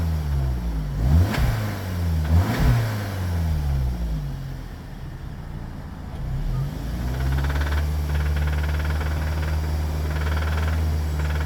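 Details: 2019 VW Arteon 2.0 TSI (DJHC, 280 PS) at 50,757 miles: petrol engine blips, then holds raised revs with light, irregular knocking. It occurs only around 2-3k rpm and up, not noticed in normal city driving.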